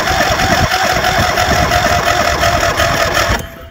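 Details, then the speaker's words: Super Z riding mower with a dead battery, needing service for a couple of issues: steady starter cranking at about three turns a second for over three seconds with no firing; cranks but won't start, before the VTOMAN V12 jump starter is tried. "It's not starting, so we will put this jumper on it."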